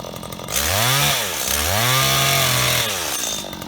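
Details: Stihl HT75 extendable pole saw from auction, condition unknown, cleaned before running. Two crisp rev-ups with clean drops, pitch rising and falling smoothly without stumbling; runs normally.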